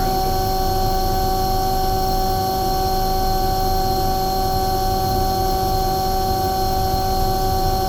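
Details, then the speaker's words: Omni/EconoHeat/Morrheat waste oil heater burner after cleaning burner and nozzle, setting about 12.5: steady unbroken roar with fan tone, no surging or sputtering; running beautifully, startup smoke clearing. "good it's actually running beautiful there it's just oh about 12 and 1/2 that smoke is clearing now"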